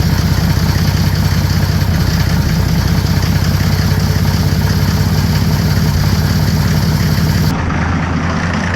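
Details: Mercedes OM603 diesel in a Ford Ranger (Doomsday Diesel adapter, ZF5 transmission), first start, hose wedged in throttle linkage: steady even low clatter right after catching, no misses; idling cleanly while warming, good oil pressure.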